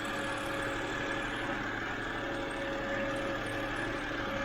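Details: 2007 BMW 328i E90 after new electric water pump and thermostat, warming up: quiet, steady idle with a faint even hum, no knocks or misses; engine idling normally.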